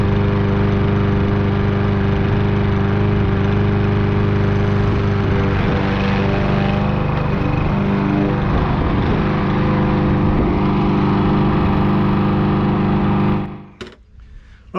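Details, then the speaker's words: Troy-Bilt lawn mower after carburetor cleaning and fresh fuel, cutting thick grass despite low compression: steady even drone with no surging or knocks before shutting off; normal running under load. "that's a wrap we got it running and it's running a lot better than I thought it would going through that thick grass"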